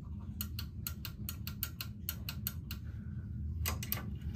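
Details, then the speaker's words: Electric clothes drying rack with a broken wire, outer cover of the motor unit removed, limit switch tested; crisp sharp clicks in quick irregular bursts, clean and consistent; switch has no problem. "Sometimes it's these switches that are broken Especially like this one Switches like these Be sure to give it a try Listen to this sound This No problem at all"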